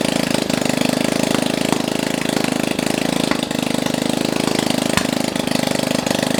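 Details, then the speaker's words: Brother Ruckus engine on first start after a long time, run with no exhaust fitted, using a homemade start-button harness; loud, sharp, steady popping idle at about four pops a second; normal running without exhaust. "now keep in mind that there's no exhaust on this and it's gonna probably sound like popcorn or something popping yep really it just sounds like buttons it'll sound like bubbles popping"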